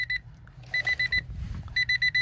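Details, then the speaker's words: Key-on warning chime, bursts of sharp repeated beeps, heard while wiring aftermarket gauges to find which wires get power with the key on. "all right you have to excuse the beeping I turned the key and we're gonna see which one glow now"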